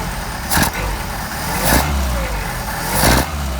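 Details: Mercedes 190SL petrol engine with rebuilt Solex carburettors, after a hot start, idle mixture screws being adjusted: steady idle with a few soft swells as the mixture settles; smooth and healthy.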